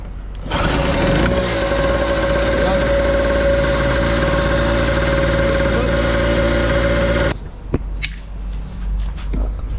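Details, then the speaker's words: Nitto two-stroke generator that would not start (no power supply to the spark plug, CDI), after repair: steady, even, fast buzzing run with a constant whine, no hunting or misses, then shut off; running fine though one part still needs replacing. "goods na goods na siya bale ito ah sira pa to kailangan pa Ong palitan pero okay na to"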